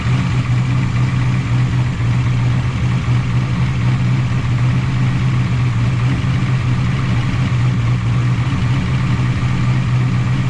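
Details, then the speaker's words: 1988 Camaro IROC-Z V8 after replacing lifters that wouldn't stay pumped up, distributor reinstalled, before timing and valve lash adjustment: steady, even burble at idle with no ticks, misses or wavering; idle has come down, maybe still slightly high. "idles come down finally probably could be a little lower was that might change when we do timing"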